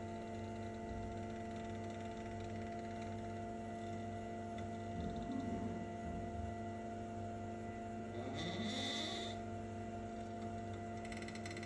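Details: Brand-new Elegoo Mars 5 Ultra resin printer: low motor hum as the bed lowers, with brief rising squeaks. The compressed rubber-covered spring beside the linear rail shifts right and rubs the plastic wall.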